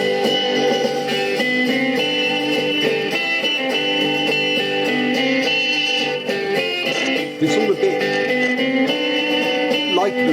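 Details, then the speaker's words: Philips-branded BSR record deck NG 5159 with stiff, seized tonearm mechanism: guitar music plays bright and clear but with almost no bass, sounding thin; suspected wrong arm weight or tired, worn GP-series cartridge, not confirmed. "Now, either the weight is wrong on the arm or the cartridge itself is a little bit tired and worn out."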